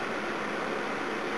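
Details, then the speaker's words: Old electric heater (about 18 years, 240 VAC, 1800W or 2400W) after cleaning and servicing its seizing fan motor; steady even whoosh of air, no squeal, scrape or wobble, fan turning freely and sounds healthy, working like new. "let's give it a test run see what happens a that's much better than has an Ang he by it's working"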